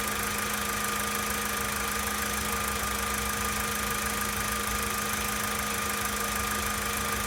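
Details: 2013 Volkswagen Polo Sedan Sochi Edition, 65,000 km, steady cold idle: a constant hum with a fast, even ticking knock running through it; source not identified.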